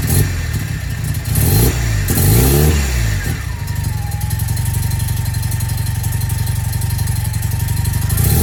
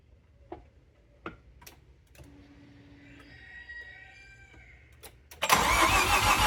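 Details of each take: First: Mazda FD RX-7 after a makeshift repair of an exhaust leak with cut stainless patch: a few quick blips, then a smooth, steady idle with no puffing or ticking; exhaust sounds sealed and the engine runs healthy. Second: Mazda FD RX-7 rotary with a large hole in the exhaust where a previous owner had stuffed an O2 sensor; quiet ticks then a loud, harsh, raspy roar far too noisy for a cold start, from the exhaust leak.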